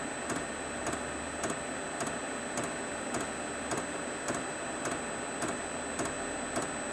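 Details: Newly fitted Chinese diesel heater with backup battery, lit and warming up: steady fan hiss with a regular fuel-pump click about every 0.6 seconds, running normally.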